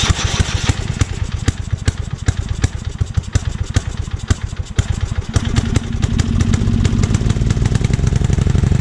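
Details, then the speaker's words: Small engine swapped onto 42" Haban pull-behind finish mower, carburetor was rusted with water in bowl, given only a quick clean; uneven popping, missing and stumbling before steadying, needs more carb cleaning: rough running. "okay as you can hear it's running it's not running well I've definitely needs some more cleaning but feels go to get it turned over I'm gonna let it run and stumble and cough like it is for a little while"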